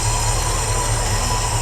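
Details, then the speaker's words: '63 Ford Galaxie V8 after new intake, distributor and water pump: steady squeal over even idle, seems to come from near the alternator; source unconfirmed. "I don't know what that squealing noise is"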